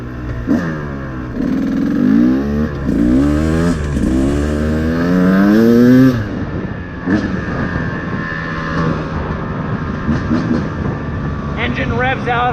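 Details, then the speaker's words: Cold two-stroke dirt bike warming up after a couple of minutes, blipped at about 3,000–5,000 rpm; the radiator is warming but not yet hot. Revs have a slightly ragged sputter, normal while cold, cleaning up once hot. "Checking the radiator again. It's getting warmer. Not super hot yet. I can hear that sputtering a little bit."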